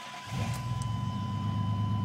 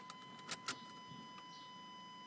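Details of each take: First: Chevy pickup that broke down, after installing a new relay (loose connection and failed old relay). It catches almost instantly with no long crank and settles into a steady, low, even idle; normal start and idle. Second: Chevrolet truck that broke down unexpectedly: chime ticks, then strong even cranking about three and a half turns a second for six seconds, never catching; apparently no fuel pump sound, no fuel at injectors.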